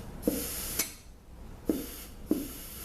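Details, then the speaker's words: VW 010 automatic transmission with slipping reverse, air-checking clutch passages during a rebuild: sharp bursts of air as each passage is pressurised, with a trailing hiss on what may be reverse; leak suspected, not confirmed. "this is possibly the forward cuz this is you can hear the the pressure pushing me back and this is the I'm thinking P reverse kind of sounds like it may be leaking a little"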